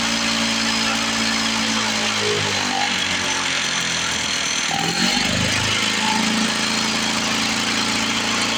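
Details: 1970 Lawn-Boy Buttercup two-stroke mower (model ~30237), run after carb spray cleaning: buzzy idle sags and picks back up, surging; owner suspects old gummed fuel or a sticking needle valve in the carburetor, otherwise running pretty good.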